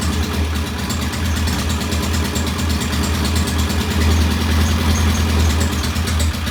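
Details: Norton P11 vintage British motorcycle twin, first start after carburetor fully disassembled and fresh gasoline; lumpy, uneven low thumping idle that never steadies; one carb's pilot jet, set about one and a half turns, not following adjustment, suspected partly blocked.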